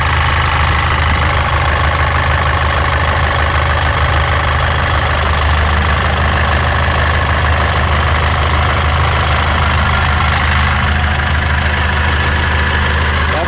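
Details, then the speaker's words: 2014 Mitsubishi L200 Triton 3.2 diesel, 254,000 km, noise increasing when warm: loud idle with fast, uneven metallic rattle over the clatter; worn, very slack timing chain, timing chain kit replaced. "aí vocês viam o barulho aí do kit corrente agora a gente vai desmontar a frente dela todinha aqui para chegar no kit"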